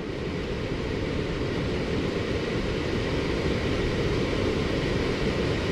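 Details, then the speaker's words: HVAC system with a newly replaced X13 blower motor ramping up after slow direction-finding spins: steady airy rush with an even low hum building to full speed, no scraping or ticking; blower runs healthy. "yep here it goes yep she's ramping up y'all can hear that"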